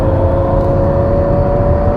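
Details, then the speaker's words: 2021 Toyota Mirai Limited hydrogen fuel cell car in normal mode accelerating: steady airy whoosh, clear high whine level over road rumble, like air pushed through a pipe; normal fuel cell drive sound. "it's a slightly different sound i actually prefer the normal mode sounds like air being pushed through a pipe"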